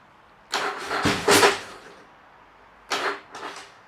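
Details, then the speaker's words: Yamaha XV1000 Virago engine fitted with 750cc heads for high compression, first start attempt: two harsh, strained bursts of cranking and catching; compression 180 vs 75 PSI, owner suspects valves touched pistons. "Jesus, that sounded like it had so much freaking compression, man. That's not good. That's making a sound. That is not good at all."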